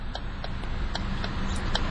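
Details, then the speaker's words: 2012 Ford Focus SE 5-door, 2.0 L GDI inline-4 idling quietly with headlights, fogs and hazards on. Crisp, even hazard flasher ticks about three a second: normal. "Let's go ahead and turn on the headlights, fogs, as well as the hazards."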